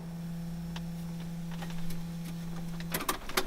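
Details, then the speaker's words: Datsun 280Z after an engine swap, key on with engine off: steady low electric hum as the fuel pump runs nonstop instead of priming briefly. Owner suspects the oil pressure switch or sensor; not confirmed. "when you turn the key into the on position, instead of the fuel pump running for a little bit and then shutting off for a couple seconds, it continuously runs."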